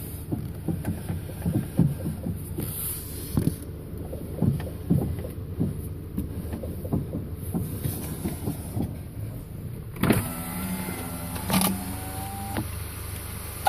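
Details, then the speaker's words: 2010 VW CC after B&G S2 sport spring install, new strut bearings: dull irregular clunks and pops near the front strut while turning the steering, worsening over days; cause suspected, not confirmed. "so when you turn steering wheel hear a lot of noise in the front like a clunking popping noise now I can hear it"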